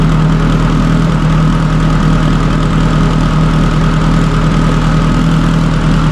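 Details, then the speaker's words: Subaru STI (1100+ whp build) fitted with a stock OEM EJ257 longblock, fully warmed up in neutral after a hard cold start; deep, steady idle with even pulse and constant low drone, no knocks or ticks; normal idle. "so everything's looking good car is warmed up I'm just going to cruise it right now"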